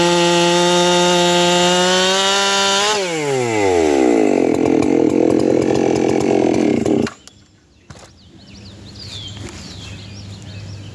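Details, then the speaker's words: 7310 chainsaw with a steel RS chain hand-filed after hitting dirt (file tilted to the first notch, angle between 25 and 30 degrees, rakers untouched) screams at full revs, then bogs slightly into a log and holds an even cutting note; cuts smoothly. "It's cutting real smooth. Rakers are fine. It almost picked that log up there."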